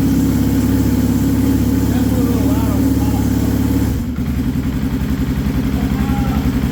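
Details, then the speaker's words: Can-Am Bombardier Rotax DS650 single-cylinder that would not start after a previous owner's top-end rebuild, now running after repair. Steady thump settling into an even idle, a little loud on top (big clearances), a touch of possible smoke; normal running. "motor sounds pretty good not not loud a little loud on top but not too horrible definitely have big uh clearances there"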